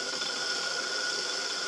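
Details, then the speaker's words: 1997 Land Rover Discovery cylinder head valve lapped with drill at low speed and water-based compound: steady, gritty hiss with faint drill whine, early chunky rough grinding that smooths out as lapping continues. "Hear that grinding? That is steel on silica or sand on aluminum."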